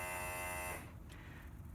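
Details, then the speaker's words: Electric brake vacuum pump on an El Camino with low manifold vacuum, rewired with a solid-state relay and pressure switch; with the brake held it gives a steady, even buzz without rapid on-off ticking and pressurizes quicker, then stops. Normal. "And, yeah, so now it seems to pressurize a lot quicker. So buzz, buzz, buzz. So that's it."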